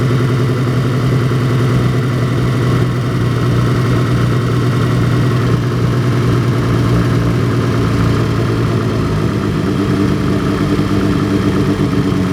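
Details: Cold petrol BMW E30 with hard starting and flooding: low cold idle surging, stuttering and loping like a cammed engine; smooths out with load and goes away once fully warmed; owner doesn't know the cause.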